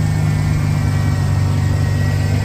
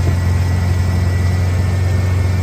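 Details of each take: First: 1991 Ford Bronco V8 under restoration, timing set at 10° BTDC: smooth even low rumble but idle a touch high; owner suspects a slight vacuum leak. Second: 1991 Ford Bronco during restoration, timing set: smooth, even low idle with deep rumble, no knocks or misses, about 850–900 rpm; owner happy with it.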